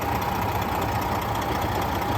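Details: High-mileage truck diesel, over 600,000 miles, no blow-by, chasing oil drips: steady, even idle with low smooth rumble and no knocks or misses; healthy-sounding engine.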